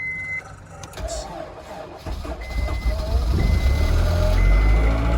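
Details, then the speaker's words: 2000 Honda S2000, extremely high mileage, 21 years old, cold start after a night outside at about minus 30: chime beeps over a few seconds of cranking, then it fires right up into a strong, even idle. Healthy. "she fires right up. Little cold."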